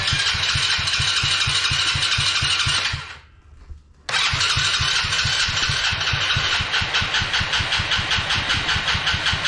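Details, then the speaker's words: Coolster 110cc fully automatic quad that sat two years, first start attempt with petcock on: long even starter cranking, almost catches then drops back; fuel overflow leaking, float stuck open or wrong height; cranks but won't start. "all right so look like it almost started there for a second"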